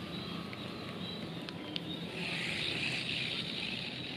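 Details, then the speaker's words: Economy fishing reel, already used several times, cranked after disassembly and a roller check: rough, gritty grinding whirr that is still loud and noisy, from a worn bearing; the owner plans to fit a newly bought bearing to test whether it is the cause. "masih masih keras ya suaranya ya Oke jadi kedengarannya juga masih berisik ya jadi saya akan coba ganti dengan jaringan baru yang baru saya beli"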